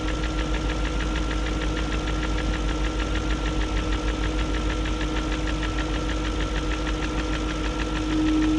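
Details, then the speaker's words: 2001 BMW E38 740i Sport smooth V8 idle: light rapid ticking about three per second after timing chain, guides, tensioner and VANOS profile gaskets replaced; no codes, injectors clicking; owner suspects VANOS unit has gone, unconfirmed. "i don't know i guess it's just going to have a tick unless the vanoss unit's gone"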